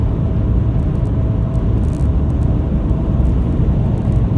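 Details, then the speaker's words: Toyota Hilux diesel after injector replacement, heard while cruising: low, smooth, even rumble with only some wind rush, no knock or rattle; impressively quiet, normal running. "severely impressed with how quiet this highlights is this is"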